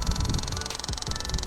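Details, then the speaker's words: 2015 Jeep Renegade 2.4 during misfire diagnosis: the cylinder 3 ignition coil on a spark tester gives a fast, even crackle of about twenty snaps a second, which is good spark, whereas the cylinder 4 coil was arcing internally and needs replacing. "катушка третьего цилиндра подключаем всё так Искра бьёт"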